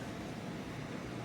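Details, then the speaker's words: HVAC ductwork with a partially frozen coil: a steady airy rush with a low droning buzz as the ducts vibrate from back pressure. Only one zone was open; opening a second zone relieves it. "I can hear the vibration and the vibration is actually coming the fact that the air pressure is actually pushing back and that's what's causing this here"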